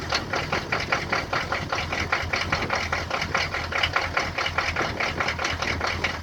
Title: Rusty &Trusty 6.2 Diesel cold start and rough idle